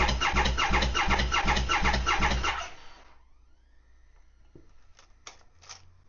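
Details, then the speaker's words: 2020 Triumph Speed Triple 1050S, 1050cc inline triple, after sitting, with new oil, fuel and battery: starter churns at a steady even beat under three seconds with no firing, sounding like no compression. "If you heard that, guys, when it starts me, there's literally it sounds like there's no compression there."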